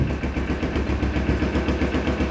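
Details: Carbureted Kawasaki Ninja 250R twin idling with the exhaust outlet blocked as a purchase check: steady, regular exhaust thumps and no knocking from inside; an engine in trouble would choke, this one sounds healthy.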